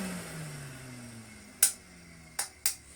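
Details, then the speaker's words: Rusty Hoover Constellation vacuum being checked for spares: switched on, then cuts straight back off; motor hum sinks in pitch as it coasts down, then sharp switch clicks; motor cutting out, owner has a suspected cause, not confirmed. "that's turned on and then ten straight back off again which is annoying"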